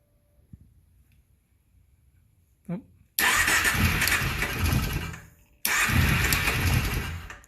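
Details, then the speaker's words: Kawasaki Prairie 650 V-twin ATV, cold, after fixing fuel flow problem, no air filter fitted: fuel pump buzz, then catches twice and settles into even lumpy V-twin idle; starts and runs well. "there we go runs great and that's without the air filter"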